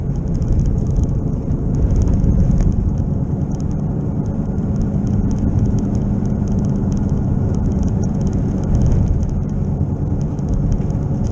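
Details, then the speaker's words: Car driven at 15 mph down a driveway, then faster: deep steady rumble and drone, at first mistaken for an engine knock, getting much worse with speed; identified as a bad wheel bearing, not yet fixed. "ou're going to hear it get a lot worse as I as I get moving so let's go and pay close attention to how it sounds"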